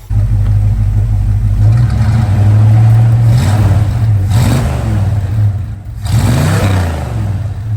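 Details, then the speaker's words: 1968 Dodge Dart with a 360 V8 (reportedly an RV cam) and 727 transmission, after mixture and idle tuning: deep, strong pull through two blips that settles back without stumbling; runs well and the throttle is fixed. "great yeah so it runs awesome throttle's fixed"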